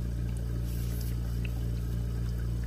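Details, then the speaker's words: Invacare Perfecto 5-liter oxygen concentrator running with humidifier and line attached, humidifier bubbling: steady, even low hum with air flowing through the line, no knocks, rattles or pulsing; normal air flow. "you're going to see this humidifier start bubbling see so that means oxygen is actually flowing through there and we're going to test my line you hear that air just flowing in through there"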